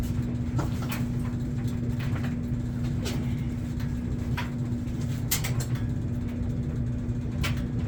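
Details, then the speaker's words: 1999 Kawasaki Vulcan 1500 V-twin, flood-submerged to the headlights, water drained and carburetor cleaned, started on choke: low steady rumble with constant hum and occasional clicks, running evenly without dying; engine runs again. "she's running"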